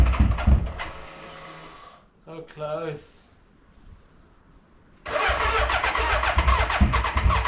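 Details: BMW K100 café racer first start after rewiring, tank newly fitted and fuelled: rough churning crank, quiet, then another burst with ragged uneven firing, never catching to run, a cranking no-start; owner suspects the battery died and will recharge.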